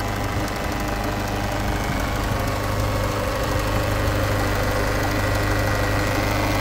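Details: Peugeot 508 SW 2.0 HDi 163hp diesel, 2013: at idle, a loose, uneven knock ticks about four times a second over the diesel idle; abnormal engine noise, cause unknown.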